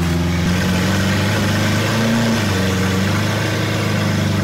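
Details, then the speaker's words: Lamborghini Aventador SV V12, rolled-over wreck being rebuilt, idling at first startup with rocks in the carbon ceramic brakes; steady even low hum, no more hiccuping, no stumbles or misses; normal idle. "but it sounds way better now it does yeah it literally no more like hiccuping or anything like that sounds really smooth now it's crazy"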